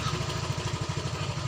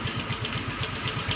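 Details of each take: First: Yamaha Mio Soul GT 125 scooter with totally dead instrument panel, started by kick while opening throttle: steady even low putter at idle; engine runs normally, so fault lies in the electrics. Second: Yamaha Mio Soul GT 125 with the dead electrics fixed by repairing a broken red ignition wire, started on the electric starter: single-cylinder engine catches and settles into a quick, even idle pulse. Normal idle.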